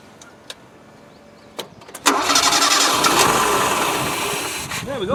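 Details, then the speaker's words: Early Land Rover 90 with old Weber carburettor, very wet with petrol and choke working; cranked with floats open, a few clunks, then it catches after about two seconds and runs roughly, clearing the flooded carburettor. "well the chalks working and it's very wet up there so I'm just wondering whether you just needs a damn good cranking through cuz they all petrels in there"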